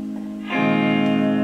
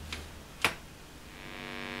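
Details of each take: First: Blackstar HT5R valve amp after a substitute capacitor was clipped in: quiet start, then a clean strummed guitar chord with no 50 Hz mains hum underneath; hum fixed. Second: Blackstar HT5R valve amp (12AX7 preamp, 12BH7 power valve) after warm-up from standby: a couple of clicks, then a steady raspy 50 Hz mains buzz swells and stays, with little signal; points to failed HT smoothing capacitors.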